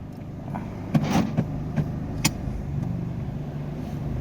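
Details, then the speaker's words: Chevrolet Sonic 1.4L that stalled when put in gear, after fitting a modified Honda ignition coil set; smooth steady engine hum as it engages drive forward and reverse and creeps off, no stumble or cut-out; normal running after repair, code 89 still stored. "WeAreOneนี้เดินหน้าไม่มีอาการแล้วนะครับนิ่งถอยหลังครับนิ่ง"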